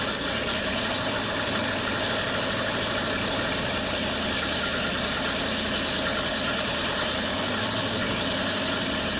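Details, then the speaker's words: 1968 Ford Torino FE 390 with an Edelbrock top-end kit, on its first start after rebuild: a loud, rough, lumpy V8 with a dead cylinder and backfiring. Firing order was first suspected. "something's not right you sure you got the fireing order right y let's see it's got a lot it's got a dead hole in it Dam it's backfiring like there's a couple of wires switched"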